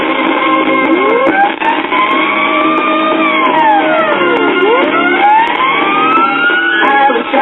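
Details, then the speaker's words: Teaching Technology record reader converted to a record player: playback thin and tinny with almost no bass and brief level drops; suspected intermittent cartridge or bad capacitor in the amplifier, not confirmed. "sounds like we have an intermittent cartridge and the base is lacking that could be a bad cartridge or a bad cap in the amplifier"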